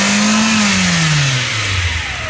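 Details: Mitsubishi Pajero Mini 4A30 turbo engine: as revs drop, a strong droning whine falls in pitch with them, pointing to a noisy turbocharger.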